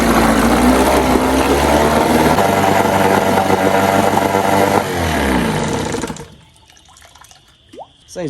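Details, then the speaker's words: 1997 Johnson 6 hp outboard after clearing clogged tell-tale outlet: fast, even, buzzing drone before shutoff; idle very high in neutral, drops in gear, runs and shifts both gears. "running okay it's very high idled when it's in neutral but it goes down when you put it in gear"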